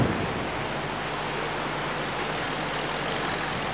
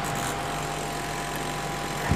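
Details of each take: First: Electrolux 12 kg twin-tub washer after repair: spin motor, which had only hummed without turning, now spins smoothly with steady low hum and even whir; normal operation. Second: Electrolux 12 kg twin-tub washing machine: washer motor turns but spin-dryer motor only hums steady without speeding up, timer turned; stalled spin motor, failed start capacitor.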